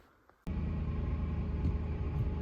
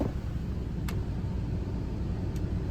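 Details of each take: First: 2005 Ford F-150 Lariat 5.4L V8, 215,000 miles: starts and idles with faint steady whine, worst when very cold, louder when revved. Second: 2005 Ford F-150 Lariat 5.4L Triton, after a new serpentine belt, tensioner and idler pulley for an engine whine: engine rumbles low and picks up smoothly when revved, with no whine or squeal; the belt drive is quiet.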